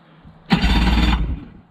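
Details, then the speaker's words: Yamaha 25hp outboard converted from pull start to electric start, dry test via the key switch: a short, even whirring turnover under a second with a deep low rumble; the new starter cranks properly. "you can hear it turn over so now that's the key switch"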